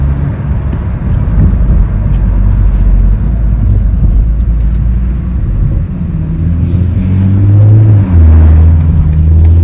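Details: 2021 BMW M440i: low engine rumble with faint, uneven ticking knocks about three a second; knocking noise, source unclear.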